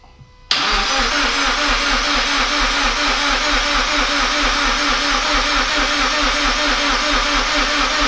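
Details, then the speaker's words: Toyota GT86 just reinstalled after forged engine internals rebuild: steady fast starter cranking with even compression pulses, never fires; fuel or spark suspected. Crank no start. "beautifully it's not you see they're not getting fuel or not getting spark cuz it's cranking over fine"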